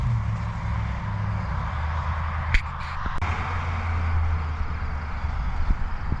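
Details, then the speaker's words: High-mileage 21-year-old GMT800 Chevy Silverado/GMC Sierra 1500 V8 with newly installed used long-tube headers: deep, steady, smooth exhaust rumble with no misfire or ticking; normal idle. "This thing sounds good. Yeah, I am a fan. Yep. I am a fan. It sounds great."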